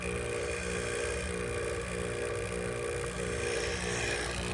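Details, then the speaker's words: HVAC line set on a new gas heater install, vacuum pump with valves closed after pulling well below zero: steady, even pump drone with a dense rattly hiss, pump probably straining; normal deep-vacuum pull. "So I'm going to close these off. Close this off. And you hear the pump struggling even more, probably."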